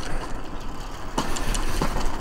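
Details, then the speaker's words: Laotie Titan TI40 Pro electric scooter riding over a bumpy road. Over the rolling rumble, three sharp knocks come as it hits bumps; the rider thinks the front fork is clacking, though it absorbs shocks well. "elle absorbe bien les chocs même si fait un bruit de fou je trouve que la fourche fait un bruit de claquement"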